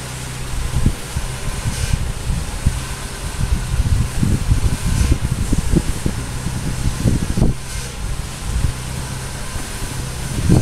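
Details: Peugeot (Bipper) with the engine running. The steering is turned right and left while listening at the front. Irregular low clunks and taps come through over the engine: a knock in the front steering or suspension, cause unconfirmed.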